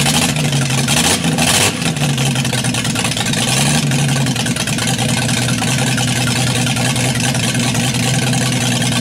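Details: Built 200 engine running with a stock unmodified head to rule out vacuum leaks. Timing reset to about 10° initial, vacuum advance disconnected, about 10 in. vacuum. It idles low but lopey and fluttery; the owner suspects the valves need readjusting and the timing touching up.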